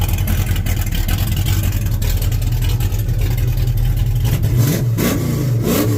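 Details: 1967 El Camino, 355 small-block Chevy with Vortec heads and big cam, just fitted with PRW 1.5 full roller rockers after valve adjustment: deep, steady V8 idle with light throttle blip, no ticking or rattling; noticeably smoother, less choppy idle than stamped-steel rockers.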